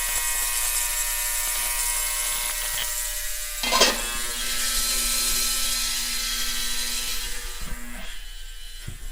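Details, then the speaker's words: Ultrasonic cleaner on a 30-minute cycle, cleaning Sea Foam-soaked carburetor parts from a Craftsman pressure washer's 5.5hp Briggs & Stratton Intek 190: steady high-pitched electric buzz with an even tone. Normal operation. "Tomorrow, I'll drop this in the ultrasonic cleaner. I don't want to do it tonight. It's late, close to 11 o'clock. So I don't want to wake anybody up. That thing makes a very annoying buzzing sound."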